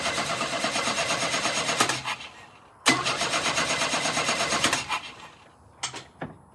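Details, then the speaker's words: 1988 GMC S15 pickup, first start attempt after years with fuel pump relay jumped and fuel leaking: two bursts of cranking, a couple of short coughs, then dies; owner suspects only fuel that ran into the throttle body fired. "It did start for a second there. I think that's just a bit of fuel that ran into the throttle body."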